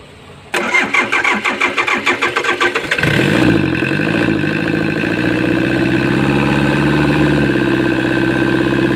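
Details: Komatsu diesel engine, lost compression suspected but not confirmed: the starter churns in uneven, laboured beats for several seconds before the engine catches into a rough idle; hard starting with long cranking.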